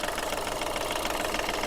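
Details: Skoda Fabia diesel with low pickup, smoke and oil-filter and inlet leaks, engine warm before overhaul: harsh, continuous heavy clatter over a thin idle; worn engine with blow-by.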